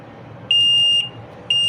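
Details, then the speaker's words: LG front-load washing machine PCB on the bench: two long high-pitched beeps about half a second each, a second apart, over quiet room hum, showing TE and PE error codes because the pressure sensor is disconnected. "तो यहाँ पे TE का और PE दोनों का यहाँ पे error आ रहा है। तो यहाँ पे जो एरर आ रहा है उसका पीछे का कारण ये है कि प्रेशर सेंसर का मैंने कनेक्शन"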